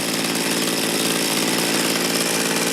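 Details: Mantis mini tiller two-stroke engine, revived after sitting about 10 years, during low-side carburetor adjustment: high, buzzy note holding steady with even firing; running smoothly at speed.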